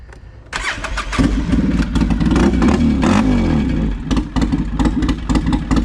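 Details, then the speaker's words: 2007 Polaris Sportsman 700 ATV started with the exhaust muffler removed: engine catches and settles into a loud, deep, uneven thumping bark like a Harley V-twin; loud exhaust from muffler removal. "like a motorcycle, doesn't it? Ooh, I like that. I don't think they like me riding around with that noisy thing on. Oh man, that sounded like a nice Harley though."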